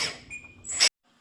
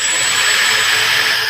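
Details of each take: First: Lesu 850K RC bulldozer right track motor after reassembly: a thin, high-pitched steady squeal over the motor whir, while the left motor is silent. The pinion sits high and half-meshes. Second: Lesu 850K RC bulldozer track motor after repairing the failed right track: high steady whir that eases off, stops briefly, then starts again; normal operation, the motors themselves run smooth and quiet.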